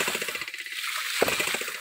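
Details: Mini hydraulic ram pump (hidram) rated 150 psi with a 6–7 m drive head through five 6 m steel input pipes, feeding 1-inch HDPE hose reduced to 3/4 inch: rapid, regular metallic clacking pulses at an even pace over a hiss, cycling normally.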